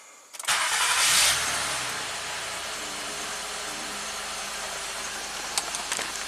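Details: Honda Accord V6, after a front-bank valve clearance check: uneven, lumpy idle with a slight stumble and still a little rough. Misfire on cylinder 6, low compression on cylinders 5 and 6, and a VCM fault (P3497) disabling cylinder 4; exact cause unconfirmed.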